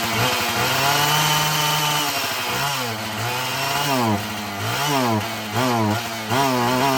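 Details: Husqvarna 445 chainsaw restarted after a cover was refitted, before cleaning and final tune: revs up and falls back repeatedly, pickup still a bit soft but cleaner each time. Lingering hesitation; mechanic thinks it will soften up.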